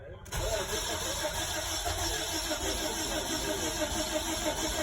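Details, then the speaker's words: 2005 Nissan Sentra 1.8, cranks but won't start, no codes: steady even cranking with no firing. Timing data read up to 60° and fluctuating where about 0 is expected; cam/crank timing out of phase, timing job recommended. "it showed a real bad number as far as timing it showed up to I saw 60° what it should be it should be zero"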